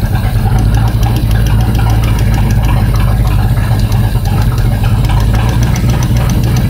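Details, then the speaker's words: 1969 Torino GT 460 V8: rapid light ticking in time with lumpy idle, loudest at number four, sometimes quiet; collapsed lifter hoped, worn cam feared. "number four she sounds so good though so ly I'm in love with it if I wipe the cam out I have another cam I'll put it in but I'm praying I'm praying that it's not that every now and then it'll get quiet"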